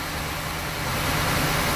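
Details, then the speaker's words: Rough-running engine warming up at idle during a vacuum gauge test, vacuum low around 16 inches but rising as it warms; loud, uneven, lumpy idle consistent with a cylinder dropping out, a misfire. "the engine is warming up so you're vacuuming socially increasing as well cause it's running a little bit better as the engines warming up so we're trying to figure out why is this engine running rough"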